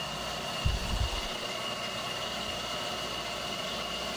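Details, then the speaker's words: CNC milling an AR15 high rail gas block: finishing end mill at the slower RPM gives an even cutting hiss with steady high spindle tone and no chatter, a clean stable finishing pass. "So I'm going in with the finishing end mill at the slower RPM, and it sounds fantastic."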